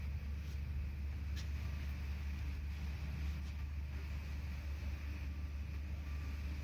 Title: Misfiring BMW 3 SERIES 2.0 318i (09/05 - 08/07)